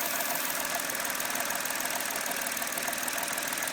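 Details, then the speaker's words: Petrol engine with rough idle: steady airy hiss with uneven beat from a vacuum leak in the intake manifold, at a non-replaceable actuator part; whole manifold must be replaced. "if I take my finger I don't know if you can hear that but there's a vacuum Le right there"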